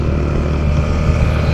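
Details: Yamaha NMAX scooter at light cruise after replacing the primary driving gear and bearing: steady low drone, with no whine or growl from the transmission that used to appear around 20 km/h; normal running.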